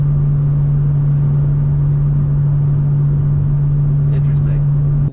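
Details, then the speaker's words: BMW M2 with M Performance exhaust, cabin at highway cruise, ASD disabled. A steady low droning hum over road noise, with no perceptible difference. Resonance from the exhaust design; the owner considers a non-M Performance exhaust the solution. "now subjectively there appears to be no difference for asd which is a bit of a bummer because you still have that frequency that's hanging in your ear"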